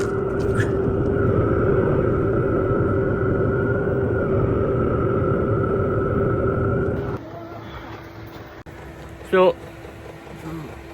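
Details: Diesel heater newly installed in work van, temporarily powered by 12 V Milwaukee battery: steady fan whir with soft even pulse for about seven seconds, then winds down; runs normally on battery, not van power.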